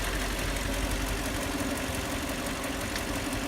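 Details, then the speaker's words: Lexus LX470 2004 with 2UZ-FE V8, steady idle with loose uneven tapping about three a second from inside the engine; knock once intermittent now constant and also on left side; valves checked, no adjustment needed; one shop suspects camshafts; antifreeze leaking. "Раньше стучало периодически, сейчас стучит постоянно и стучит уже и с левой стороны."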